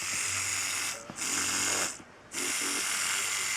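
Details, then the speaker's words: $10 knockoff Stealth rotary tattoo machine, very short stroke, tested on foam: high buzzing motor sags and drops out with rattly chatter when bogged down, then recovers and still hits hard. "got a really short stroke, and you hear it makes funny noises when you bog it down. It still runs and hits hard when you do that."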